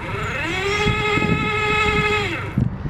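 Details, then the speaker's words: Electric bike with a lithium battery pack and relay, tested after storage: turning the throttle spins the rear hub motor freely. Its whine climbs, holds, then drops, showing the battery still has charge and the motor runs normally. "yep that's still got juice in it so that's fine"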